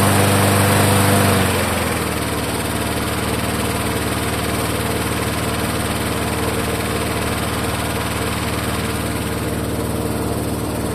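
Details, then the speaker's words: Tired vintage Toro mower that smokes a little on throttle, possibly flooded from tipping. Knocking for about a second as it catches, then steady running; cause unknown, owner wonders about piston slap. "Well, aside from that little knock sound when it first starts to you know fire and pick up speed and take off."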